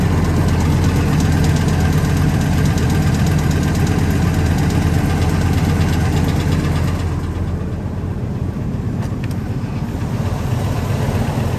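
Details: 1999 Ford F250 V10 (VIN S), leaking spark plug holes repaired, idling after JB Weld cured: steady idle with light regular tick about three per second; engine ticking persists, source not pinned down; owner then pulls oil pan, ordering rod and main bearings.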